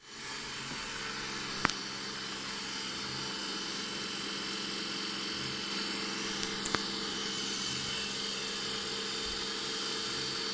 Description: The loud noise was there since the 1st time I set up the robot.